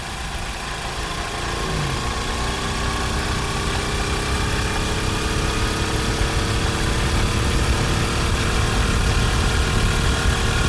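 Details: Honda CD 70 single-cylinder after an engine rebuild to fix a gear noise that was heard in fourth gear: steady, even running with a smooth idle rising slightly, no knocks or gear whine. Sounds healthy.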